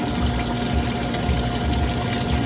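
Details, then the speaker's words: Ice machine draining normally: a steady pump hum with sloshing, gurgling water as the same rinse pump that fills the machine drains it through a diverter valve, cavitating at times. "Now it's draining. So again, this is the same rinse pump that fills the machine. It's just going through a diverter valve."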